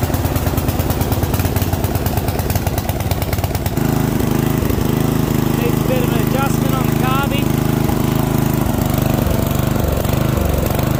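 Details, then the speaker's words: Yard Machine MTD ride-on mower (12.5 hp Briggs & Stratton, 38-inch deck, 6-speed), previously a non-starter, running on choke while warming up: the note shifts and wavers; engine hunting, cause unknown. "She's hunting a bit, but overall, she starts."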